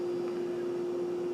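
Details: Household refrigerator after repair for a warm, ticking no-cool failure: steady, even mid-pitched hum with no ticking or clicking; compressor running smoothly, fridge and freezer temperatures coming down, thermostat at 5.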